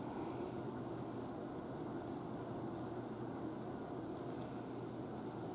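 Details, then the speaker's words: Electric fan run from the BigBlue Cellpowa500 portable power station's pure sine wave AC outlet: soft, even whoosh of the blades turning steadily, no motor hum or growl, like on a household outlet. "まあ普通はね普通だねどう見ても宇宙だね扇風機の阿部の音しかしないね"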